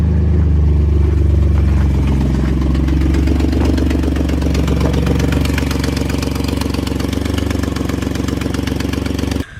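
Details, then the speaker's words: Ford EcoBoost truck with an exhaust manifold leak that developed about a year earlier; fast even ticking about four per second over the running engine. "probably almost a year ago it developed an exhaust leak as well exhaust manifold leak so i'll let you i'm going to go ahead and start it up and let you hear what it sounds like"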